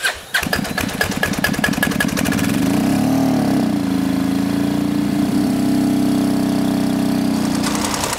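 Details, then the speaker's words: HDT M1030 military diesel KLR motorcycle, just started with throttle held open: uneven lumpy clatter that hunts and surges as air is still purged from the fuel system; suggested fix is shifting the injection pump on its slotted holes; fuel lines leaking. "we got a high five that's what we do so it still has air it's trying to get the air out"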